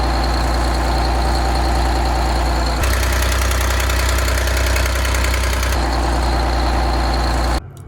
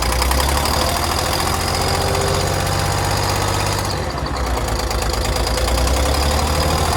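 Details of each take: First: Detroit 6V92 two-stroke diesel in an MCI bus conversion, after exhaust manifold gasket replacement: steady, even idle with a smooth low drone and no ticking; leak noise should be gone, owner noticed a possible puff of something. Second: Detroit 6V92 diesel in an MCI bus conversion, cold start despite a block heater: chugging with a sharper, higher-pitched, almost ticking edge on each pulse from a partly lost exhaust manifold gasket.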